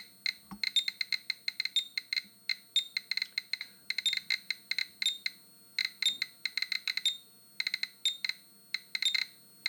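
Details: Geiger counter held near orange glaze on a 1930s ceramic bowl, microphone flipped down; rapid uneven clicking with sharp high beeps, the environmental monitor's alarm for too-high radiation.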